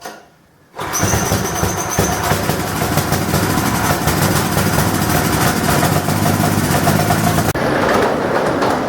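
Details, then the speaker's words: Pull-start single-cylinder generator after repairing an exhaust valve that wasn't closing (new gas, plug, carburetor didn't help): starts on one pull with choke, runs slightly uneven then settles to the right speed as it warms. "Okay, I believe this is a success because once it's warmed up, it starts to run at the right speed. It isn't so rough. Anyway, I got it to the point where it'll actually start up with one pull."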